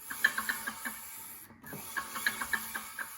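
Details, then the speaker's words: Paramotor propeller hub turned by hand: soft scraping catches that fade as it slows, heard on several flights; pulley and its bearing ruled out, clutch shoes suspected dragging instead of freewheeling. "it's almost got to be those clutch shoes dragging back there"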